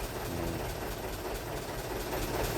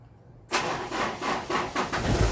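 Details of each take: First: Vehicle that starts hard in the morning after sitting overnight, restarted immediately while warm: catches at once into a steady, even idle with no dragging crank; owner concludes a failing battery cell, not the starter motor. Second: Car that is hard to start in the mornings and sometimes needs a push start, battery or starter motor suspected, fourth attempt: slow, heavy cranking pulses about twice a second, then the engine catches. Slow cranking, weak battery suspected.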